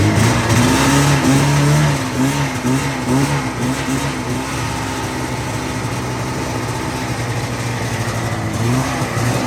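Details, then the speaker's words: 1985 Yamaha XL-V 540 race-build vintage sled, two-stroke, just run so warm, idle set a little high: crisp buzz climbing and dropping with throttle, clean and even, no misses or rattles; quieter than owner wants; healthy revving. "I'll start it up. It's not nearly as loud as I almost want it to be, but it sounds good. I have the idle set a little high, but I just had it running."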